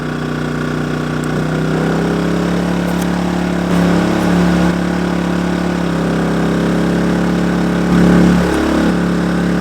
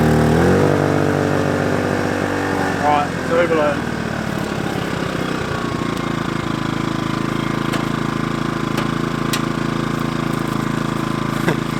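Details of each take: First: Kings 2kVA generator, economy mode off, running lights, air conditioner at 16°C, a 195 L 3-way fridge and fans: the hum briefly dips and recovers as load comes on, then settles. Normal running under load. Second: Kings 2kVA generator running air conditioner, fans and lights when the high-current hot water service is added: the engine note sags and labours at lower revs, and the overload trips. Generator overload.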